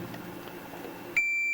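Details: Multimeter continuity check of the shielding in a Farfisa O.R. 200 amp, at a point that tests well, unlike a poor spot near a screw head: a clean, steady high beep for about half a second. Normal continuity beep.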